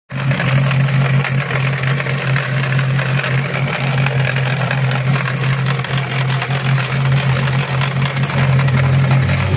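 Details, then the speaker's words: 2008 Chevrolet Celta petrol engine running with low hum and busy metallic chatter; owner doesn't know the cause and is worried. "é o meu tubarão Celta 2008 se souber que barulho é esse aí meu parceiro dá um salve aí fazendo favor que eu tô preocupado com o tubarão vermelho"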